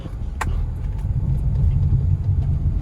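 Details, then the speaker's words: Front suspension clunk over bumps on a 2019 Chevrolet Prisma LTZ, driven slowly over speed bumps twisting the body: slow rumble with one sharp dull knock, different from control-arm bushing noise; stabilizer bar suspected, not confirmed. "Esse é o barulho um pouco diferente do embuchamento né daquele barulho de bucha da bandeja eu suspeito aqui que seja algo na parte da barra estabilizadora"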